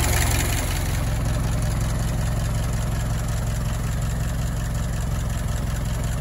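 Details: Old Model T farm truck, barn find left for years in a tool shed, first start after simple repairs: low, even chugging of about two to three beats a second holding steady; idles smoothly.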